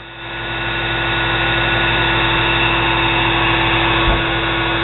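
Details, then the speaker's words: Nano lathe motor (tag says 110 V, runs through a controller board) fed through a Variac at about 100–110 V, warm after 15 minutes: a steady, even whir with no surging. Smoother than at full 120 V. "it's more accurate to know that sounds a lot smoother"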